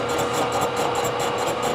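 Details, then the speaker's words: Face milling a warped Ford V10 exhaust manifold with a 3-inch face mill: steady cutting hiss with faint scratch about four times a second as cutter rubs the finished surface; operator suspects a couple of worn inserts. "it sounds like it's grabbing on a few versus all of them i will deal with that later so i can hear it just lightly scratching on the backside"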